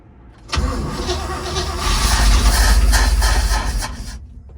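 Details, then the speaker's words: 1948 GMC COE truck, first start after many years of sitting, primed with gasoline down the carburetor venturi, choke adjusted: loud rough chugging at about three pulses a second that dies away. It has spark and timing but won't keep running. "Well, at least we know we have spark and timing."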